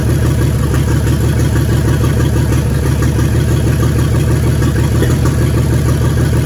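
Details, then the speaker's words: 1942 Chevrolet G506 truck revived after 40+ years: deep, lumpy idle with an uneven lope, two cylinders dead, found by pulling plug wires one at a time; both wires still spark. "so we got 2 dead ones. As you can see, you pull it off and you listen for the difference in the motor and how it sounds."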